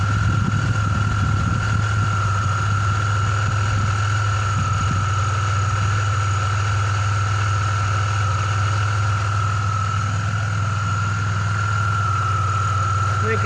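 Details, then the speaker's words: Car idling with AC on for load, belt completely on the edge of the tensioner and tensioner bobbing: thin constant high-pitched chirp over low hum, belt chirp at idle; alternator recently replaced after humming and no-start symptoms. "i'll turn the air on put a load on it you kind of hear that chirping"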